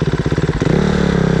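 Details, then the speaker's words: Fuel-injected Yamaha Raptor idling: irregular, lumpy beat that hunts and stumbles instead of ticking over evenly; owner thinks the injection needs adjusting. "a dziwnie chodzi tak nie tak faluje Dobra zaraz go odpalę jeszcze dziwnie chodzi to prawda muszę wyregulować to jest wtrysk"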